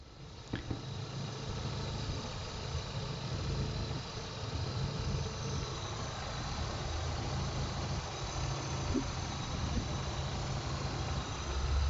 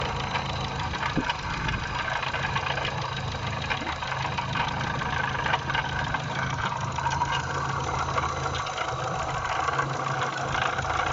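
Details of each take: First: A petrol engine idles smoothly with a steady low hum and no knocking or ticking; the earlier noise was traced to a water pump with play, and the pump, belt and tensioner rollers were replaced. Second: Idling petrol engine: steady low rumble with light knocking caused by a worn water pump with bearing play; the pump, tensioner and idler rollers, and belt were replaced.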